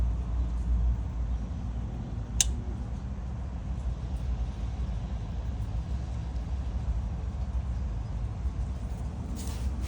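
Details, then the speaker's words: GE refrigerator not cooling, with clicking. The start device was replaced but a steady low hum continues with no start-up. The compressor is bad and burned out; the unit was condemned. "yeah so it's still buzzing and I went ahead and swapped out the start device"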